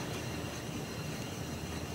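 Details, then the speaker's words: 2003 Ford Ranger on a lift, wheel hand-spun during inspection for a suspension rattle: smooth even whoosh with faint brake pad scrubbing, no growl or roughness; normal wheel bearing with light brake drag. "no funny noises all i hear is the brakes scrubbing which is normal i it's not a big deal it's just the brake pads touching the disc as it spins"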